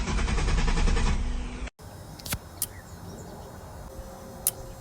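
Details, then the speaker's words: LS1-swapped Nissan Patrol that cuts out under hard acceleration and won't start: with the ignition on, the injectors click rapidly and then give isolated clicks as the ECU cycles on and off and the tacho acts up, caused by a wiring short. "so you can hear the injectors uh clicking in the front here and then you can hear the ecu turning on and off again that's why i kept priming the fuel pump so something was up so we know we had a short somewhere"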